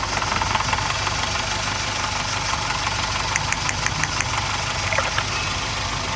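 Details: Toyota XLi idling steadily with rapid, light metallic valve tappet ticking keeping pace with engine speed; valve clearances out and need adjusting, also linked to a fuel-average complaint.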